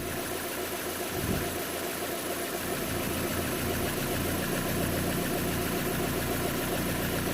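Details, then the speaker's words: 2010 Vauxhall/Opel Astra H 1.6 petrol with P0011 timing code, restarted after timing work (VVT phasers unoiled): uneven, lumpy, stumbling idle that never settles, running slightly better but still rough from low compression. "seems to be running slightly better but i'm not sure i'm not happy with what i don't know"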